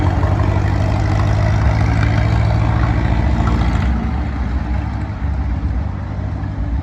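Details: 85-year-old tractor idling hot after a new 3D-printed carburettor float and a rebuilt magneto: a low, steady putter at about three and a half beats a second, firing evenly without misses or knocks. It idles sweetly.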